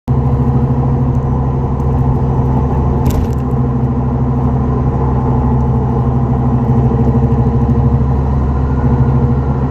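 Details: 2004 Dodge Neon SRT-4 driving: steady deep droning hum fills the cabin, the growl of a bad wheel bearing.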